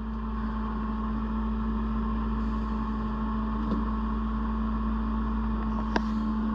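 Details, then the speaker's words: Autoterm Air 2D diesel heater in Peugeot Boxer L3H2 camper conversion, first run after rewiring: steady low hum, even whirring with faint pulsing, no rattles; heater pumping and heating up, warm air follows. "okay so I don't know if you can hear that but the heating system is on I can hear it pumping or at least doing something but there's power to it which is fantastic sounds like it's cranking up there is air coming through huh heating up now"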